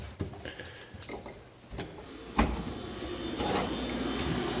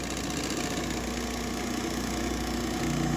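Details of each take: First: GE refrigerator condenser fan after replacing the noisy old motor, which had shaft play and wobbled; the new motor has no shaft play and runs with a smooth, even hum and airy rush, no rattle. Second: GE refrigerator condenser fan motor running: loud, rough, uneven droning hum with rattly buzz, from worn motor with excessive shaft play making it wobble; complaint was loud noise while running, fixed by replacing the motor.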